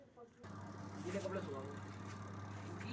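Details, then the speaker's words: Washing machine spin dryer after reassembly with motor bolts tightened and drum secured: motor spins up to a steady even hum, no rattle, knock or scrape. "ये हमारी motor तैयार हो गई है washing machine और चल रही है य ड्रायर चालू हो गया है"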